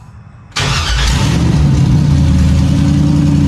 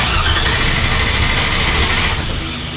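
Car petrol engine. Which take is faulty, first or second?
second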